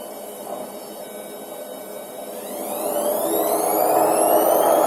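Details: Zanussi Acycle 1000 FE1014N washing machine where the rinse cycle doesn't work and it beeps with an error: steady droning hum under a rising motor whine as the drum spins up; drum bearing suspected worn, not confirmed.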